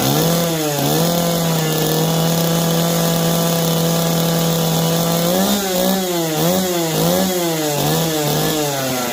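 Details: Jonsered 425 and 490 two-stroke chainsaws running again, choke off, oil delivery confirmed. Crisp buzz holds steady, then revs up and down cleanly with quick, even response. Saw runs healthy.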